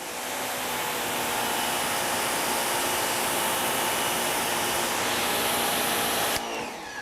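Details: WEN 2000 psi 1.6 gpm electric pressure washer tested with 2.5 tip, measuring about 1100 psi: steady rushing spray with even motor whine, no surging or cutting out; running smoothly and holding pressure.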